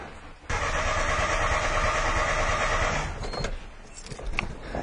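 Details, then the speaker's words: 1996 or 97 three-cylinder Geo Metro cranking no-start: starter spins engine at roughly three beats a second with no firing, even with starter fluid; no fuel prime found, so spark also suspected missing; cause a blown fuel injection fuse. "okay so we have no no fuel but it didn't start with starter fluids"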